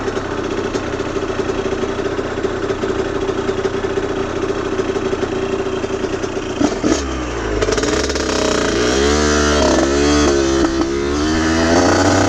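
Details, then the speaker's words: Aprilia RS50 / YZ85 hybrid two-stroke after a clutch plate swap, basket filing and adjustments: healthy idle, but on throttle the note rises, wavers, burbles and chugs instead of pulling; breaking up under load, suspected tuning issue. "you can hear when i really get on it it just breaks up immediately it's it starts burbling and then chugging and then just doesn't want to carry on with power it's not something i've ever encountered before it's really weird"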